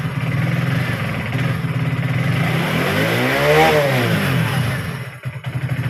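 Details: Hero HF Deluxe BS6 fuel-injected motorcycle after fuel pump replacement for a stalling problem; starts and settles into an even idle, picks up cleanly on a throttle blip and drops back; normal start and rev.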